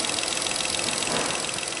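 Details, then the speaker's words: VW Up three-cylinder after a full service, all readings within parameters: an even idle with a busy, clattery top end and no knock or misfire; only a very slight vibration, normal. "motor não tremi tanto assim não tá Ó tem uma vibração Zinho Mas é bem leve"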